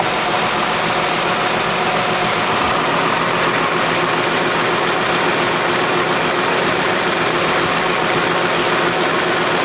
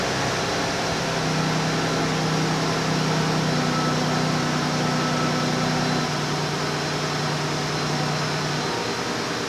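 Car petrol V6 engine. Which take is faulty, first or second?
first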